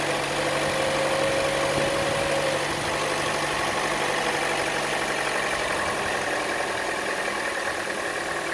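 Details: Chevrolet Cruze at idle, camera moved around the engine: light quick tick about four per second over steady idle, louder than normal engine tick, most noticeable on the belt side; cause unknown.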